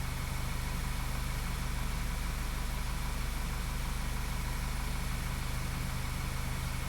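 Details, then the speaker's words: 2012 VW CC 2.0 TSI CCT engine, after cam timing repair, misfire counters showing no misfires; smooth, even idle with steady low hum, no stumbles, normal idle. "so we might as well go in and verify it's not misfiring now that's 15 and 16. it's not showing any misfires"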